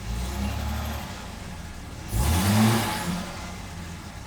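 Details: 1975 Jaguar XJ6 just after a fresh oil change, with oil pressure built up. Quiet idle, then a clean rev blip that rises and falls smoothly back to idle with no knocks or rattles. No leaks, so a healthy engine.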